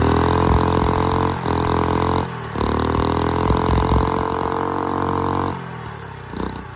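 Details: Go-kart engine pulled from a dumpster with valve parts missing under the valve cover, run unloaded and hard to start with backfiring. Uneven small single thumping about four beats a second, surging, dropping out and stalling. Owner suspects timing and probably valve lash.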